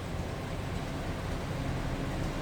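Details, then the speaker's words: 1925 Pierce-Arrow Series 80 Opera Coupe, about 100 years old, inline six-cylinder: restarted after a touchy ignition switch cut it out, with the blinker on. Soft, even low rumble at idle, no knocks or misses, runs smooth. Normal idle. "that blinker on yet. seems to run pretty smooth."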